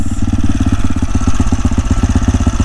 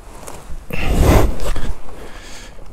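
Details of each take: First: AJP PR7 single-cylinder motorcycle after it cut out on the road and the spark plug was replaced: quick even low thumps about nine a second, steady with no misses or rattles; restarted and idling cleanly. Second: AJP PR7 single-cylinder motorcycle started on a 25°C morning during a road trip: a few starter bursts, then it catches and settles into a quick, even thumping idle of about three beats a second; normal start.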